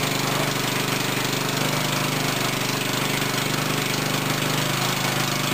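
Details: Black Murray mower engine kept alive on brake cleaner for a second start after carb removal and a little gas added; chatters fast and uneven, runs only on starting fluid, owner unsure the carb was bad, fuel delivery problem suspected.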